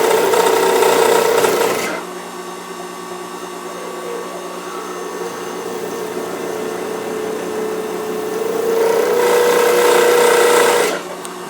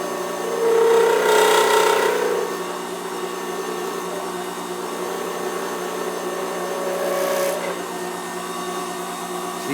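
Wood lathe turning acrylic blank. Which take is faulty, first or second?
first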